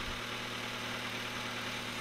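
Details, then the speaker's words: Honda Civic (1997/98) D16Y7 engine with a Y8 manifold swap, after an automatic-to-manual swap, still warming up. Steady, even idle with a smooth low hum and no knocks or misses. It sounds far better than before, as it should. "so she definitely sounds way better this is what she should sound"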